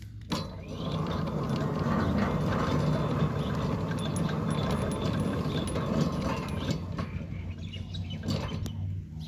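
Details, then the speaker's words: Centurion D5 Evo Smart sliding gate motor, newly installed as a replacement for an old Centurion D3, on its test run: an even, steady hum with a light gear patter and no bouncing or labouring, so the motor is running smoothly. "As you can see, that the gate motor is not bouncing and laboring at all. One can hear the gate motor is running smoothly."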